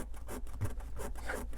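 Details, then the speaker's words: 2025 Coachman Beyond camper van galley: rasping rubbing squeaks about three times a second as a panel under the drawers is worked by hand; squeak heard while driving, to be cushioned. "there's my squeak so I've got to just put yeah now you can hear it I've got to put something around this to cushion it and stop the squeaking it's really bothersome"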